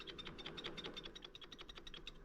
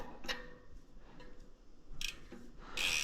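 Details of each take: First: Ozark Trail FS2 Slalom mountain bike converted to e-bike with motor and battery: quick light metallic clicks about eight per second as stand is rocked; kickstand rattle from play at the pivot rivet, owner suspects extra weight caused it. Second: Ozark Trail FS2 Slalom mountain bike rear hub after tightening the loose cassette lock ring: a few crisp ratchet clicks with no more clunk, then a burst of hiss.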